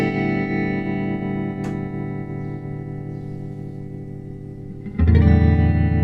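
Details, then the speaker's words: 1964 Fender Concert amp tremolo, after ticking cap fix and before LDR replacement: held guitar chord with only a faint, barely pulsing volume wobble; tremolo too weak, unchanged by new preamp tube, fixed by replacing the worn LDR. "Yeah, so it still is pretty weak, so I am assuming it's going to have to need the LDR changed"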